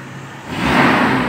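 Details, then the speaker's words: 1997 Toyota Kijang carbureted after tune-up (previously heavy pull, short breath, hesitation in third gear): idle then quick throttle blip with AC on, revs climb cleanly and hold without hesitation; engine sounds healthy. "kita coba hidupkan AC terus kita coba gas"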